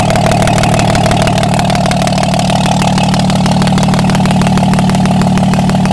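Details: Diesel truck whose replacement turbo failed after 12,000 miles, running with exhaust manifold off to check cylinders: steady, even idle about three beats per second, no misses or knocks; all cylinders firing.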